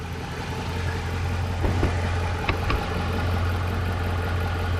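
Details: Truck engine warm idle after about three minutes of running, hood open, heard at the driver's side while checking exhaust leak against lifter tick. An even, low hum with only a couple of stray clicks and no steady ticking: a normal, healthy idle.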